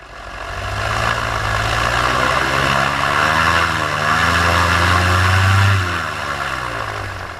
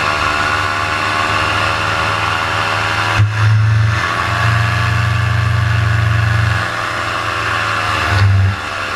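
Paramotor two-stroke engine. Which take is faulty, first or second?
second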